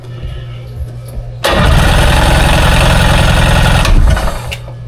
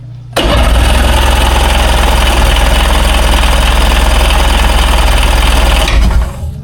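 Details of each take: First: 2001 Ski-Doo 3-up jet ski during a compression test, throttle floored, on a jump box: steady, even cranking chug, about three and a half beats a second. Good compression, nearly 210 psi on the first cylinder. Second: 2001 Ski-Doo 3-up jet ski, non-running, on a jump box with choke and fresh gas: steady fast cranking at about three turns a second for five seconds without firing. Owner suspects the jump box running out of charge.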